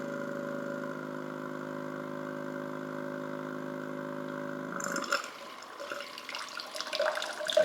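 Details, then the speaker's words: Flow jet pump being installed on an espresso machine, primed, switched on pumping into a glass: steady electric buzz at even pitch, then water splashes in; normal operation. "Now, when you turn it on, you're going to hear it pump, and it's going to pump until it gets about 16 bars of pressure"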